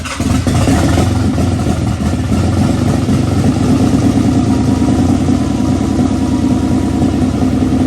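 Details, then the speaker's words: 1992 Nissan 300ZX (Z32) with newly installed engine on first start: loud uneven running that stumbles and surges instead of settling, sounding like a misfire; a smell is noticed; cause unconfirmed. "It has a little mist though, so you might have something going on."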